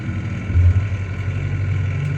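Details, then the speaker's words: 2017 Freightliner Cascadia during ADS self-check: DEF pump runs with steady low hum but no DEF delivered; codes for under-pressurized DEF and high pump speed; DEF pump found faulty. "all right so we don't have any de coming M out from there so it means we may have a supply issue or a pump issue I hear the pump moving know if you guys can hear that"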